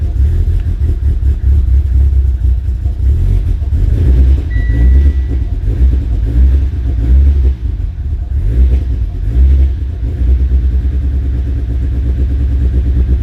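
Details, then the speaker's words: Fully built Mitsubishi Evo X (new cams, new fuel rail, fuel system just cleaned) on its very first startup: lumpy, uneven idle stumbling and surging every second, running really rough and seemingly super rich; cause not confirmed. "well guys there is the very very first startup of the Evo 10 it is running really rough it seems like sorting super rich"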